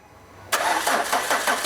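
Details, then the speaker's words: Peugeot Partner with TU5 JP4 engine that arrived not starting: the starter cranks at a steady six pulses per second but it never catches. Lack of fuel delivery is suspected. "Ó, o carro não pega. Tá? Fiz umas medições aí tudo para chegar a um diagnóstico."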